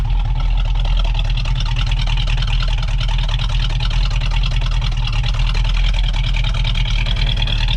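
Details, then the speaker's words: V8 idling while warming up after thermostat and radiator cap replacement, burping the cooling system: deep, even lope with every cylinder firing cleanly and steadily; engine sounds healthy. "that sounds so good i mean you can almost hear you can almost hear the cylinders firing"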